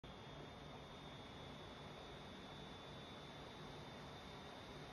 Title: Dell G15 5511 fan noise (high-pitch?/whistling? sound)